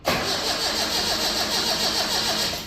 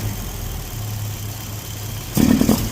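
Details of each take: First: Datsun Roadster converted from carburettor to EFI with MS3x, cold start at 52°F coolant after sitting overnight: cranks about three seconds without firing, keyed off, recranked and starts to idle; insufficient prime pulse. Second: Datsun Roadster converted from carb to EFI on an MS3x, no idle valve yet, warm-up enrichment being tuned around 125: steady, even low cold idle without stumbling, then one brief throttle blip; warming up smoothly.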